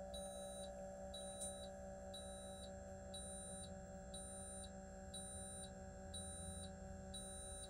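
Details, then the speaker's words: 2024 Newmar Bay Star 3014 motorhome auto-leveling: steady high beep about every three-quarters of a second over low pump hum while jacks go down, stopping once the coach is level; normal warning. "so once the coach is level you can hear the warning um beeping stop and our coach is now level"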